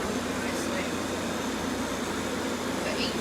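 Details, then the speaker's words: 1986 Friedrich Quietmaster 19,000 BTU refurbished window AC with a rotary compressor, heard outside once settled. Quiet, steady hum with an even airflow hiss and no rattles, clicks or grinding; normal compressor running. "okay now compressor has settled and now you can really hear this"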